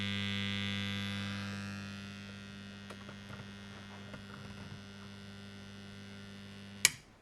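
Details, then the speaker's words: Old Suzuki motorcycle ignition tester SS-II under repair, secondary voltages confirmed present: a strong steady low transformer hum that dies away, then a click ends it; cause unknown, possibly normal. "it's interesting why it still hums loudly see if you can hear that"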